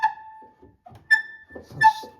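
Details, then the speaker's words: Old Brasted upright piano: three sharp, high squeals with each press of the sustain pedal, caused by the pedal rubbing against the wooden case; noise is unacceptable, before repair. "is not acceptable. The sound is away from the pedal."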